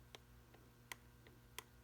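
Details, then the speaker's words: Mercedes 190SL Solex carburetor: sharp metallic clicks as the throttle lever is rocked, from excess wear of the second-barrel butterfly shaft in the body, letting the carburetors drift out of adjustment. "we have excess shaft wear in the body and I'm going to see if I can see if you can see the movement here and hear it hear that clicking and see this lever right here moving against the versus the"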